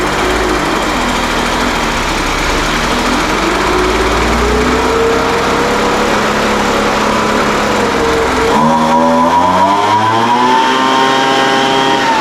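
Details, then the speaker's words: Craftsman 200mph two-stroke blower first running after its carburetor was serviced following unknown storage time. The carburetor is still acting a little funny on the high-speed mixture. A steady buzz revs up cleanly and settles, slightly unsteady but healthy. "all right well that sounds pretty good I mean it runs now at least that's a big step right"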